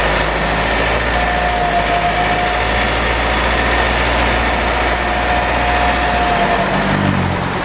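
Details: Mitsubishi 4N15 at about 6,110 km with burning oil smell and higher fuel use: clear steady mid-pitched whine rising over engine drone while driving; owner suspects drivetrain damage from overfilled rear differential, burnt front differential oil and ATF about 1 L short.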